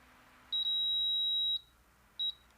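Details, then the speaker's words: Induction cooktop that would not start from its key: bridging the start key pins with tweezers makes it beep and start each time, proving the start key is faulty. "đó mình kẹp lại thì nó lại nên tức là khởi động được thì cái phím này nó bị hỏng rồi"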